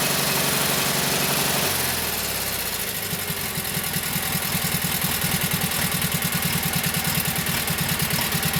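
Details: Kohler KT17 twin on first start (lost governor), oil pressure 50; settles from higher speed into an even, steady putter around idle, runs well with no knocking; carburetor tweak and max-speed setting around 3,000–3,600 rpm still pending.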